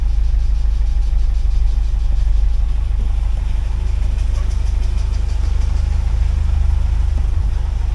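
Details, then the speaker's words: 1979 Porsche 924 after adding a fuel pump relay to stop the fuse overheating and cleaning the fuel accumulator: smooth, steady low idle, even firing, no knocks or misses; starts and runs normally, wire stays cool. "And starts up normal. I'll let it run for a while and I'll just see if that fuse still gets hot or this wire here gets hot."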